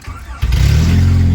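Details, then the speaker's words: Engine restarted with the idle air control valve plugged back in, after it idled really low and stalled on throttle while unplugged during an EGR delete; it catches and settles into a steady, even idle with no hunting, idling right again. "so now it's idling right. So I'm not really sure what that's about."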